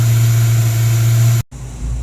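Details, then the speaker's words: 1994 Ford Mustang GT convertible at high idle around 1400 rpm with no throttle: a steady fast-idle drone that cuts out after about 30 seconds; it only starts while the distributor is turned; stalling at high idle. "No matter what we do, it's turning itself off after about 30 seconds of high idle. With no throttle input, it just shuts off."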